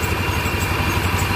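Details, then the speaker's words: Carbureted Yamaha Xeon scooter engine idling after a rebuild: a steady, even low putter with no ticking or rattle. It was noisy, rattly and smoking before teardown, and now runs smooth with no exhaust smoke. Normal idle. "Nah, dia sangat halus sekali, tidak berisik. Beda sama waktu pas pertama kita bongkar ya."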